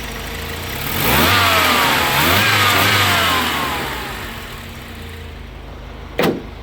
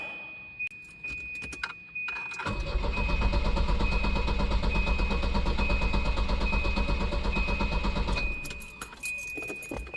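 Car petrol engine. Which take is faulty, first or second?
second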